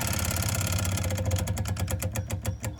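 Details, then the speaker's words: Boat engine after fuel line air leak fix, lift pump on with bleed valve closed: light even tick about three per second over engine rumble; normal fuel lift pump ticking. "and that should be doing that little tick tick tick tick tick is all"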